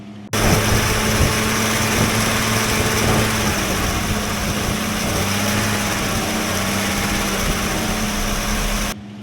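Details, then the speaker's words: Abandoned classic Mustang from a junkyard, likely the blue one, after being left for dead: steady, even idle with a smooth low hum and no misses or knocks; runs cleanly, with slight blow-by noted afterward. "this thing runs so good it was just left here for dead it's crazy"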